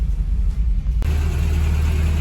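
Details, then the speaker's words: 1989 Toyota 4Runner 22RE with intermittent click-no-start, catching after repeated key tries: sharp start then uneven, lumpy low rumble; running really rough, flooded as the cold start injector dumped fuel during repeated cranking. "so as you heard it was running really really rough so that kind of shows you guys the issue that I've been having"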